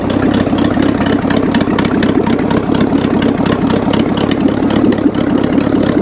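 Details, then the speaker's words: 1979 GMC Heavy-Half (C15) with a scrapped 350 small-block V8 pulled from the trash, fitted with new heads, running on a little gas; steady, even idle rumble with no misses or knocks, sounds very good. "But a trashed scrapped engine runs and actually sounds very good."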